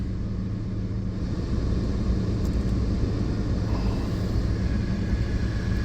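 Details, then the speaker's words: Old Kia Soul, idle after replacing rotted exhaust pipe that was horrendously loud: steady even low rumble, no puffing or ticking, exhaust leak barely audible; good enough. "It was horrendously loud with that pipe rotted out. Yeah, you can barely hear that exhaust leak. That's good enough. Good enough for sure."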